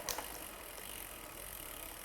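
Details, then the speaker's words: Shimano front derailleur after cable tensioning and limit-screw adjustment on a bicycle: one crisp click as the chain shifts down onto the inner chainring, then a quiet even whir; shifts smoothly. "We shift back down. Make sure that it it shifts smoothly onto the inner chain"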